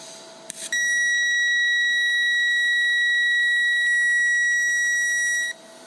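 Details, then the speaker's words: Lincoln Electric Aspect 230 AC/DC TIG welder, pulse frequency at maximum 2000 Hz while TIG welding stainless steel: piercing, steady high-pitched arc whine for about five seconds; normal for this setting, earplugs needed. "So there you can see your ears are definitely going to be bleeding if you're not wearing earplugs."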